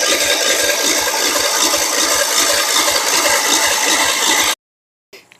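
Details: Wheel Horse tractor, possibly 1973, 10 hp Kohler, sat three years, cranked via jumper cables: steady rapid cranking about two and a half turns a second with no firing; no spark, ignition fault not yet found.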